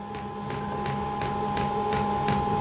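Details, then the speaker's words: Diesel heater on a home test bed, first start: steady pump ticks about three per second over a fan hum, no burner roar. Fuel is rising slowly with seemingly lots of air and an H3 display. "We haven't got no heat yet. I tell you, this is all good fun, isn't it? I've no idea what's happening now. The fuel is getting pumped up, but not very fast."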